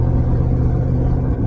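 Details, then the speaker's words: Corvette Z06 at idle: loud, deep rumble with raspy, puffing edge from golf-ball-size hole in passenger-side header where the O2 sensor bung weld failed; temporary big exhaust clamp quieted it somewhat. Exhaust leak. "It's a pretty big hole in the U header on the passenger side. And uh the Oh, it's funny cuz the O2 sensor uh the weld for the bung basically failed uh pretty hard. Now there's like a golf ball size hole in my exhaust."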